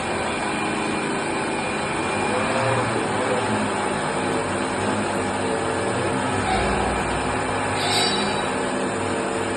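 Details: RO high-pressure pump motor running: steady rough grinding hum — worn or damaged motor bearings.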